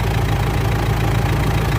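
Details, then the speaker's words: Mitsubishi L200 Triton 3.2 diesel, cold, idling after timing chain replacement for noise that appeared at normal operating temperature: even, steady idle with soft regular clatter, no rattle or knock; sounds healthy, injectors still to be reprogrammed. "Olha o barulho da bruta aí, ó. Que barulho mais bonito. Zerou, pessoal. Zerou."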